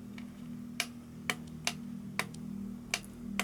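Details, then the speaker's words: Egg Shell Mini Racer tiny RC car, first use after trim adjustment: sharp evenly spaced clicks about twice a second over faint hum; steering servo chatters but won't turn either way. "I can hear the servo clicking but now both now both of them don't work"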